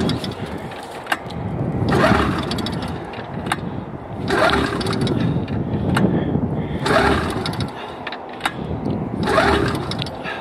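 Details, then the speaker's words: Engine not started since early summer, cold start: surges and sags unevenly about every two and a half seconds, never settling to steady idle; rough running after cold start, cause not confirmed. "I don't think it's going to start why it has that sound to it"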